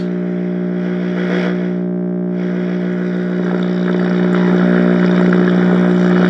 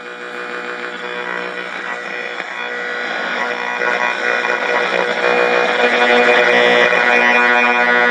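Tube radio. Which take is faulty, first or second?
first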